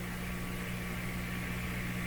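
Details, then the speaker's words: Grundig 2030 AM/FM tube radio powered at about 112 V during tuning capacitor work: steady low drone with a buzzy edge over faint hiss; a loud mains hum not noticed before. "Quite a hum. I hadn't noticed that before."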